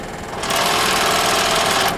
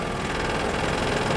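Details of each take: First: Scroll saw with the blade tension turned down from the normal setting of 4: loud, fast buzzing rattle and shaking, the sign of a loose blade; retension to fix. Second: Scroll saw running with blade tension set at four: steady even motor hum and light rapid vibration, no rattling or shaking, showing correct blade tension; a loose blade makes it shake and noisy.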